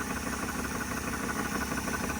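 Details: 1979 Dodge Ramcharger V8, ex-plow truck, just started after sitting 15+ years, air filter off: steady, even idle with a low smooth burble and no knocks or ticks; motor quiet, normal idle.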